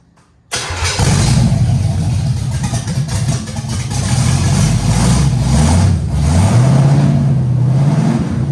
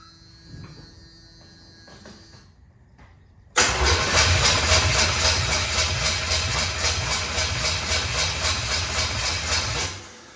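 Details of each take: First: Camaro Z28 with a Blueprint 350 crate engine, first start after installing the gas tank and plug wires, with timing set and float bowls filled; cranks, catches and settles into a strong, steady rumble with light blips; normal running. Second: Camaro Z28 with new Blueprint 350 V8 and Edelbrock carburettor, first start attempt with no fuel yet in the float bowls: starter cranks steadily with even compression pulses about 220 a minute but never catches; cranks, no start without fuel.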